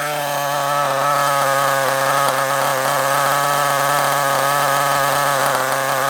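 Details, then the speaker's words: Kyosho Mini Inferno ST nitro engine (.09): slow, slightly lumpy tick-over buzz; idle speed set a bit too low and being turned up. "Bit too low. Let's turn it up a little bit. It was a little bit too low. I was trying to get the tick over just right."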